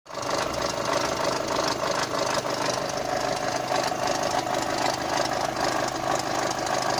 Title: Golf 5 Gti tfsi strange noise at idle